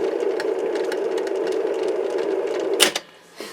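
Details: Mid-1960s Lloyd's TY-799A portable reel tape recorder, long unused: a steady mechanical whirr with light rattling ticks from the reel drive, then it stops; a very noisy tape transport with strong torque, cause unknown.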